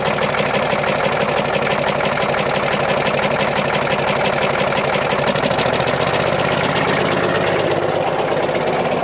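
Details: 10.5L Caterpillar diesel in a 977L that knocks despite good oil pressure, running during fuel bleeding: heavy clatter with a hard, fairly steady knock about three times a second, seemingly one cylinder. Injector knock questioned; cause unconfirmed.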